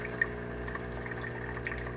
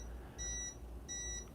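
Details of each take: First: Breville Barista Pro espresso machine pulling a dummy shot after water tank refilled: steady low pump hum with water trickling through; normal pump operation. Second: Breville Barista Pro espresso machine: two short high beeps as the water tank is refilled, clearing the blinking low water tank light that blocked shots.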